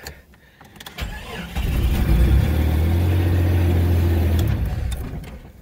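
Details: Jeep XJ cranks briefly on a cold day, catches fast and settles to a smooth run; normal start.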